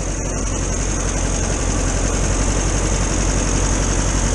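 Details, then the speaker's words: VW T2 camper van's air-cooled flat-four idling on a cold January day: steady, even idle with smooth low thrum and fan hiss, no misses or knocks; owner says she's running all right. "that's another job so there you have it she's running all right"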